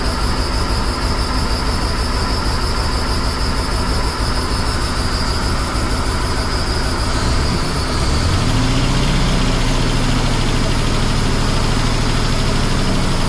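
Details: 1977 Jeep CJ7, 350 small-block Chevy with Holley Atomic EFI TBI, new Bosch O2 sensor, loose exhaust flange bolts found, tuned near 14.0 AFR at idle: loud V8 idle with irregular stumbling pulse, uneven firing, pitch shift; rough idle, cause (timing chain?) unconfirmed.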